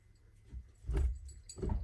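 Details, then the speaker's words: Honda EM1 with automatic mid pipe fitted: loose hollow clunks as shift lever is rocked, excessive play in every gear, linkage hitting the exhaust; owner suspects worn shift linkage bushings, new set ordered. "See, that's too much play, and that's like that in every gear. The hell? The hell? See, it could be also because my shifter, the linkage, the bushings right here are kind of bad."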